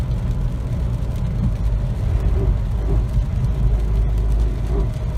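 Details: 2008 Toyota RAV4 2.4L 2AZ-FE I4, 4WD, 4-speed automatic: heavy, rough low grinding drone in the cabin at steady cruising speed, present for a couple of months, cause unknown.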